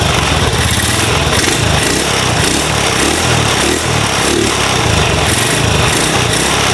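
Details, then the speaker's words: Supra motorcycle bored up to 53mm with RVN Pro racing cam and cam chain, stock carb: crisp rising and falling revs with only soft carb intake gulp, no piston slap or cam chain noise; engine normal. "tapi Secara mesin ee kesemuanya bersih piston enggak bunyi temlar enggak bunyi ya semuanya normal ya"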